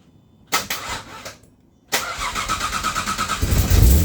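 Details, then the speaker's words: AJ30 Jaguar / Ford Duratec V6 in a Gilburn Invader on ME360 ECU, started after setting both cams to advance the same: catches, sputters out, restarts to rough idle; persistent stalling, owner thinks worse when cold, cause unknown. "I didn't throw off. But it did stall. Now, I do still have a persistent problem of stalling. It's worse when it's cold, but um this is a detail, but um is it worse?"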